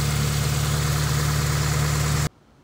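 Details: 1984-1987 Honda Civic/CRX after de-vac, idle adjuster and throttle cable set, some valve clacking heard: loud steady low drone with an even pulse and exhaust rasp; engine idles smoothly.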